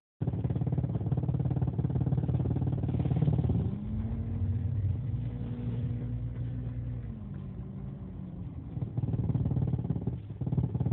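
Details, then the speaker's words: 2001 Jeep Cherokee XJ petrol engine at idle, in drive and in neutral: a low, rough, pulsing clatter that goes away when revved and returns at idle; source of the noise unidentified. "Comes out of it when I'm in neutral. A little bit. No, it'll still do it in neutral, okay. So if you rev it, it doesn't. At idle and drive, it'll do it."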